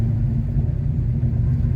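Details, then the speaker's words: Formerly stuck 327 V8 swapped into a car, started easily hot: deep, even rumble holding steady with no knocks, misses or hunting; normal idle. "That's where it seems to want to stay. Seems all right. It started no problem at all at the gas station hot, so I'm pretty happy with it."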